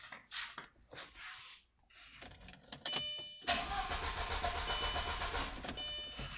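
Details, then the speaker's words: B6 Audi A4 1.8T cranks steadily but won't start after an oil service; P0688 power supply relay open circuit code, relay clicking abnormally, blown fuse found as the cause. "it'll crank and crank and crank but nothing just like this"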